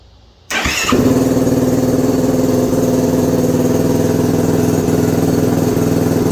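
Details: 2021 Yamaha YFZ450R SE right after installing a Pro Design intake kit, stock pipe still fitted: engine catches within a second of cranking, then settles into a steady, even single-cylinder idle thump with no misses; runs healthy.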